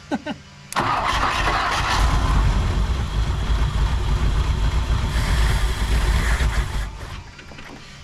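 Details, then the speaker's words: 1959 Ford Thunderbird 352 V8, parked 33 years, started on temporary coil wire with fresh fuel: catches and runs loud and uneven about six seconds then dies down; rough running, carburetor needs work, likely no working accelerator pump. "Firing it up. Oh my god. That sounds so good. Okay, but The carburetor needs to be fixed."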